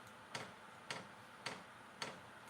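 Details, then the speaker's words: Vevor diesel heater on first start-up: fuel dosing pump ticking sharply and regularly about twice a second after initially not being heard; pump working normally. "That pump just Now the pump's working. You see click and clacking now."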